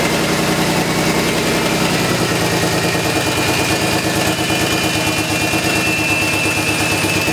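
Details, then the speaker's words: Crashed BMW E36 with old, essentially straight-pipe exhaust: loud, raspy petrol idle with a puffing, chuffing note from an exhaust hole, before patching. "you're gonna hear the hole in the exhaust I think I know where it is we're gonna patch that up"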